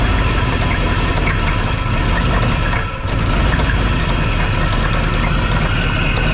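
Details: 1999 Suburban 3/4-ton 454 4WD, exhaust patched with bolt and gasket: heavy uneven knocking under a rough idle, plus another passenger-side exhaust leak. Internal engine knock; truck still moves under its own power.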